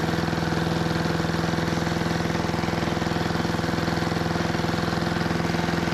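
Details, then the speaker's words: 1973 Giant Vac walk-behind leaf blower with Briggs and Stratton single-cylinder engine, revived from scrapyard: steady even beat well short of a full-throttle howl; owner doesn't think it reaches full throttle while blowing a small pile. Cause unconfirmed. "I'd say that made pretty light work of uh making a pretty small pile but I still don't think it's getting up to full throttle"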